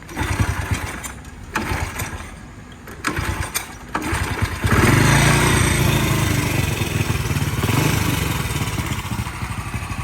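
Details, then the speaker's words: Honda EX5 single-cylinder motorcycle after rebuild with new casings, 56 block, ported head, Wave 125 28mm carburetor: a few cranking bursts, then catches and runs with loud, slightly uneven beat; idle still needs adjusting. "So dah start lah, cuma idle dia nanti nak adjust. Tapi dah start dah guys."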